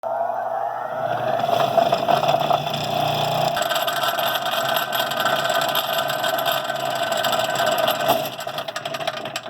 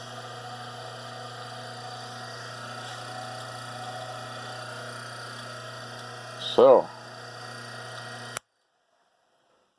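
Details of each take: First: Rikon slow-speed bench grinder running very rough; steady motor hum with a rough buzzing rattle throughout, vibration from out-of-balance grinding wheels that usual cures did not fix, later solved with Rikon support's balancing and truing. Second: Rikon slow-speed bench grinder run with both grinding wheels removed: clean steady motor hum with no rumble, wobble or rattle; shafts checked true with a dial indicator, so the motor seems fine and the vibration likely comes from the wheels.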